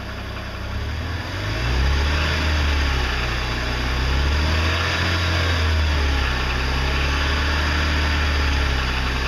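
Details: 2006 BMW 330i E90 at idle: persistent diesel-like clatter about four per second that never fades; knocking began on cold starts six months ago, now constant; internal knock, cause unknown.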